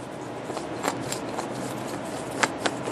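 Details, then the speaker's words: 2010 Toyota RAV4 front wheel hub removed and turned by hand: dry gritty rasp with scattered clicks, bearing completely shot; being replaced with a new hub. "hear that noise? That bearing's completely shot."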